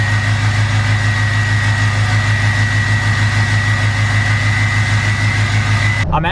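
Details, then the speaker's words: 2020 Duramax L5P diesel just after installing a new Stealth 67 V2 turbo, heard through cracked windows: even rumble with a clean steady turbo whistle that spools right up at the slightest throttle, quicker than before; normal turbo spool. "I have my windows cracked a little bit so you can kind of hear the turbo, but the slightest bit of throttle, you can hear that turbo just spool right up."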